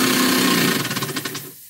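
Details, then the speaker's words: Small model steam engine running with steam leaks: steady loud hiss with quick even chuffs, about eleven a second, fading out; steam escaping from leaking joints. "I think we've got more leaks"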